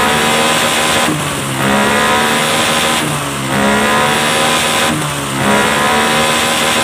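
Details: Honda Scoopy FI injection scooter after CVT setting, belt now climbing fully up the pulley: three strong pulls climbing smoothly to a high steady pitch without hesitation; drive pulling properly.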